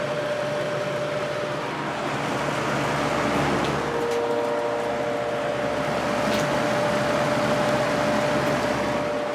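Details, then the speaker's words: Vintage 1983-84 Lasko box fan on high, motor previously repaired with adhesive, likely many hours: steady mid-pitched electrical hum over soft air rush, unusually prominent, resonating through the frame via the single-piece motor mount. "you can really hear that hum on the ones with the single piece motor mount it just resonates through the entire frame"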